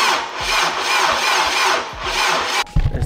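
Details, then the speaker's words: Honda Civic Type R engine in an AWD build, first start attempt, battery voltage fine: sluggish, dragging crank at two to three labored turns a second. Slow cranking; owner suspects voltage drop while cranking or a very tight engine. "Definitely sounds a little bit slow to me. I don't know if it's a low voltage issue as it's cranking."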